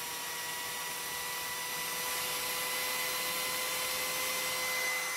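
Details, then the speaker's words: Older Philips hand mixer after service with new grease, running at lowest speed on the table: steady even motor whir with clean high tone, no grinding or rattle, speeding up as grease settles; normal running. "you can see that as you hear it starts running faster faster so the grease is finding its place"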